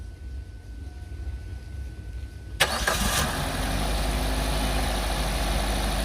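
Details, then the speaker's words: 2023 Maruti Brezza ZXI petrol: quick crank, then the engine catches cleanly and settles into a slightly raised idle that slows down afterward; normal petrol cold start, no leaks noted in the engine bay. "So petrol car compulsory మనకి first కొద్దిగా raise లో ఉంటది తర్వాత మనకి slow అవుతూ ఉంటది"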